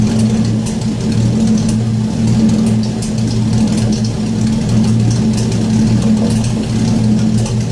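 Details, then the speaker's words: Porsche 917/10 replica with newly finished wiring and Megasquirt engine management: steady, even low engine note at constant speed, no knocks or misses; engine sounds healthy. "alright so that's it I got brake lights it runs it sounds good"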